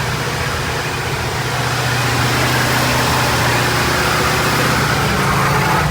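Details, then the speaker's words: Wrecked Corvette's rebuilt engine on first break-in run: even, steady note with smooth firing rhythm and no knocks, ticks or misses; sounds healthy, some residual smoke afterward. "Hey, first break-in, that thing sounds smooth. Sounds smooth. Sounds healthy."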